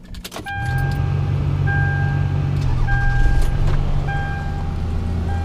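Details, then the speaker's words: Toyota Camry, about 350,000 miles, transmission rebuilt some 30-40k miles ago, driven the day before: quick crank, catches at once, settles to steady even low idle with no knocks or misses; not burning oil, normal start. "right up no issue see it's not burning any oil"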